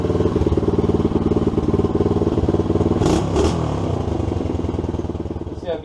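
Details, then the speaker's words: SSR 110cc pit bike after new head installation and timing set, exhaust header gasket still missing and a bolt loose: fast popping chuff with a tinny rattle on every firing pulse as it revs; exhaust leak rattle. "she starts rattling the exhaust"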